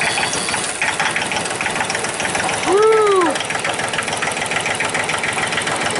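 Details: 2005 Massey Ferguson tractor with Japanese-made 3-cylinder diesel, previously crank no-start, clatters at steady idle once started; fuel shutoff solenoid plunger on high-pressure pump involved, pushing it in shuts engine off.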